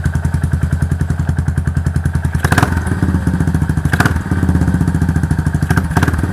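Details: Yamaha SR400 single-cylinder after repair of noisy engine by replacing worn valve rocker arms: slow even idle thump with no top-end clatter; mechanic says this is the quietest he has heard, normal healthy idle.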